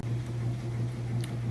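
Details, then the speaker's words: Whirlpool top-load washer during the agitation stage, showing a low, steady motor hum and a gentle repeating churn as the agitator swings back and forth; strong, smooth, normal washer agitation. "okay now we're on to the agitation it's an excellent job nice strong agitation getting those clothes real clean it sounds great"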